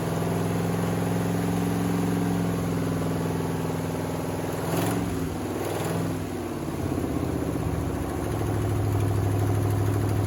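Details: 1979 Chevy C30 V8 first run after eight years sitting: steady low idle with a short throttle blip that settles back, no clear fault; owner notes power steering not working and exhaust leaks.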